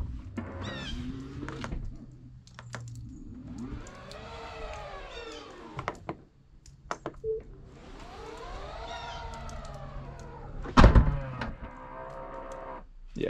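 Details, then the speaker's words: Tesla power tailgate closing: loud motor whine rising and falling over each few-second sweep, sounding strained; owner unsure whether this loudness is normal and suspects something wrong with the motor; cause not confirmed. "i don't know if this if if this noise is normal like how loud it is when it closes it almost sounds like the motor like there's something going on"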